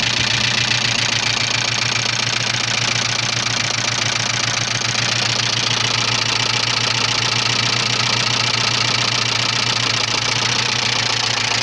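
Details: 1985 Subaru Leone EA82 flat-four at idle: regular knock about two and a half beats per second over steady idle; owner unsure what is knocking; engine knock at idle.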